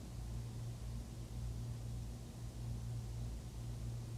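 Soft, constant hiss with a low steady hum and no rattles or cycling; an air conditioner running normally in the room.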